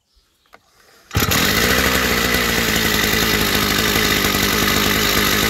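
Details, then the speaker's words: Chinese two-stroke brush cutter on first start before carburetor adjustment, with the throttle opened too far: starts on the pull and settles into a fast, buzzy, steady run instead of a slow idle. Idle speed set too high. "Да, но нам же ж надо отрегулировать, чтобы всё теперь идеально было, потому что слишком много холостого у нас."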